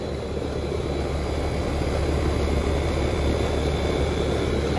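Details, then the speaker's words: Home central AC outdoor condenser unit after compressor wires were spliced directly onto the compressor prongs: steady low hum once it kicks on, compressor running normally, though a spark was seen at the red run wire. "if I can hear the condenser the uh compressor running that means that there's cold air flowing inside"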